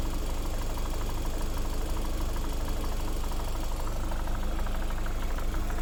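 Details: Lada Vesta SW Cross 1.8, January 2019, 29,000 km: steady idle with a light, fairly regular knock about three times a second over the engine hum; engine knock, cause unclear.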